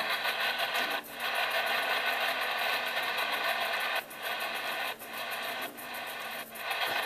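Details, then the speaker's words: Radio held close to the refrigerator's motors: harsh raspy buzz with fast uneven chatter and short dropouts; fridge RFI is weaker higher up the shortwave bands but strong near the motors. "you can see the higher I go up the band it's not as bad now when you get close to where the motors are back"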